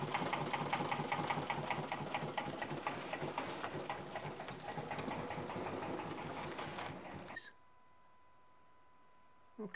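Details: 2008 Subaru Impreza running badly: fast uneven ticking over shaky idle with dropping firing beat; oil-soaked plug, zero compression in one cylinder from broken passenger-side camshaft, linked to low oil.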